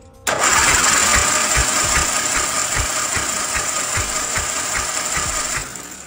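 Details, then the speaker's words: 1987 Chang Jiang 750 sidecar motorcycle, boxer engine, first start after a decade unused, carburetor cleaned and contact breaker points replaced: catches straight away into an uneven two to three pulse-per-second beat. Owner calls the idle smooth, no abnormal noise. "More than 30 years have passed, just listen to this engine! Hahaha! No rattling or abnormal noise at all. The idle is incredibly smooth. And that exhaust note!"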